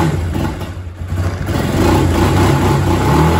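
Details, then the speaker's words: Kawasaki Bayou 250 ATV after carburetor replacement, cold, choke on, old poor fuel still in it: even single-cylinder thumping at fast choked idle, picks up cleanly when revved; runs healthy while warming, idle may need slight bump. "so doesn't sound too bad uh fuels it's still a little bit uh crappy in it so we'll uh get through that but she's a little cold he's a little still too natured but anyway that's still with the choke on"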